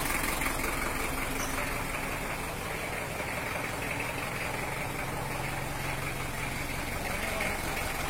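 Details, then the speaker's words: Toyota Hiace LH-11 diesel after repair of its broken injection-pump bracket, fitted with an injection pump 12: steady, even idle clatter with no misses, knocks or smoke. Normal, healthy idle. "suaranya juga merdu dan sudah mengeluarkan suara ciri khas dari mesin tipe lo untuk Toyota Hiace"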